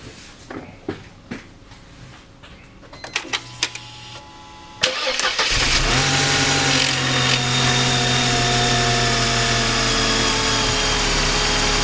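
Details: 1999 Mercedes SLK 230 after replacing the harmonic balancer, radiator fan and front crankshaft seal, with coolant topped off and the mass airflow meter reconnected: clicks, a quick crank, then it catches at once and settles into a steady, even idle with no knocking. Normal start.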